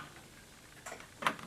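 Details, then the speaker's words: Whirlpool Duet washer with F-dl error, door will not lock so wash won't start: a couple of soft isolated relay clicks, no lock engaging; dirty control-board connectors keep the door lock from latching. "okay I'm hearing something I don't know if you can hear this I don't know if you hear that or not but there's a sounds like the relay is clicking"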